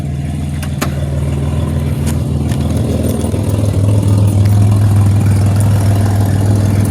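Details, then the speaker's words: 2007 Pontiac Grand Prix at idle, warm after a few highway miles, transmission temperature 179 and coolant low: deep steady rumble with a fast, regular puffing tick; an exhaust leak needing a new gasket. "Yeah, she definitely gotta fix that exhaust leak, get that gasket in there."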